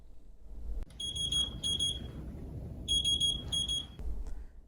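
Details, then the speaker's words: Plum 360 infusion pump proximal occlusion alarm, meaning flow is blocked above the pump (kinks, clamps or knots in the A or B line): two pairs of sharp high-pitched beeps over quiet room noise. "proximal occlusion will alarm when something has stopped flow of fluid above the level of the pump or proximal to the pump"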